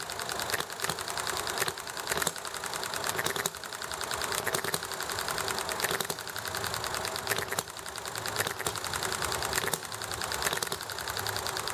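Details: Enjomor hit-and-miss engine running nicely, with highway traffic and chatting in the background: firing bursts roughly every second, coasting between, over rattly background clatter; normal hit-and-miss running.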